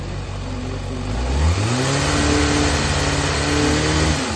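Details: Yamaha XJR400 (4HM, early type) running engine assembly, high compression measured, no abnormal noise or white smoke: catches and settles into a smooth, even idle, then revs cleanly with steady firing and no knocks or rattles; normal running.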